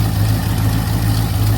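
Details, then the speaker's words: 1985 Chevy C20 V8 that sat outside over 10 years, on its first start while choked. A deep, steady burble at idle, even with no misses or knocks, and no smoke; the owner thinks it sounds cammed: normal idle. "Sounds good. Oh yeah. No smoke. Well, no, that's just exhaust."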